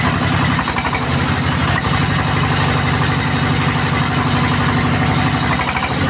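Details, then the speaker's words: Single-cylinder S-1115 diesel after rebuild with new main parts, before rice-mill test: low steady even knock at about four beats a second, slow idle at low throttle, strong oil pressure, no misses or rattles. "Diesel पहले से अलग है, हाँ, गैस बहुत अधिक नहीं है, इसलिए यह अभी भी धीमी है"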